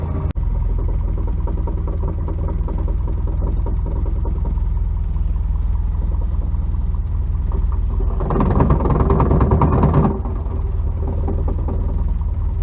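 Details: 1992 Nissan 240SX hatch at idle: when the clutch pedal is pressed, a harsh rattling scrape rises for about two seconds and stops; a bad, worn clutch, replacement parts on hand.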